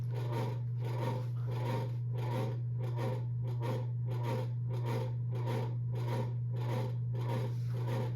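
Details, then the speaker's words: 52-inch Evergo hugger ceiling fan: steady low motor hum with a rhythmic rasping scrape about 1.5 times a second, the motor grinding; it quiets down on medium and high speed. "he gave it to me because it was real loud so I'm going to show youall how loud it is you can probably already hear it there's a reason why it's on the corner of my garage"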